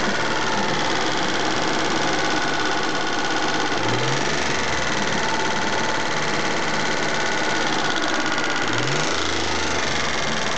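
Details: Mitsubishi GTO at idle: fast, light sewing-machine clatter over the idle; owner suspects lifter tick and plans a change to Millers 10W-40 fully synthetic oil.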